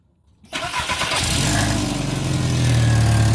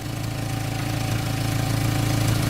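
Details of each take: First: Volkswagen Jetta, warm, after a rusted-out resonator was replaced with a used one using clamps and muffler tape: starts and settles to a steady idle with a faint low rasp; small remaining exhaust leak at the rear, much better than before. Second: Warm Jetta after a makeshift resonator replacement using a salvaged resonator, clamps and muffler tape: low even idle rumble with a soft steady exhaust note and no puffing or ticking; quiet exhaust, only a small leak remaining.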